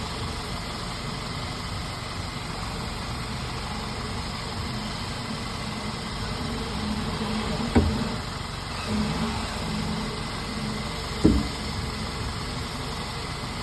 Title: Clunk Noise